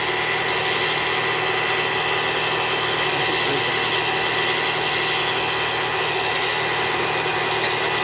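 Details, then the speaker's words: 2013 Toyota Alphard with 2AZ-FE engine before repair: harsh, gravelly idle with steady coarse vibration; suspected and later confirmed a disintegrated balancer shaft near the oil pan. "jadi gejala suara mesin kasarnya seperti di awal tadi bunyinya Kasar banget ya bunyi gitu nah indikasi ini dari Balance masalahnya nih kemungkinan hancur badan sesaknya"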